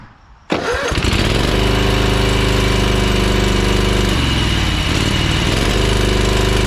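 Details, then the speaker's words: Ferris 52-inch walk-behind hydro mower, twin-cylinder engine, after reconnecting the cylinder and suspecting a bad spark plug: fast uneven putter with a stumble, still smoking, lacks full power under load; still rough running, cause not yet confirmed (carb later found faulty). "that's running on that cylinder a little better but not perfect still smoking and it doesn't sound right when you have a load on it it's definitely not getting full power"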